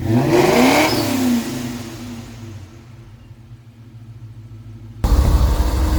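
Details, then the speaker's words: 1999-04 Mustang GT 4.6 V8 first start after Flashark long tube header install, wheels off: loud burst on catching, steady even idle, sharp blip; no ticks, rattles or exhaust leaks. "So before we put the wheels back on, we are going to fire it up, give it a listen, and we're leaving the wheels off just that way we can see if there's anything that's, you know, out of place or making noise."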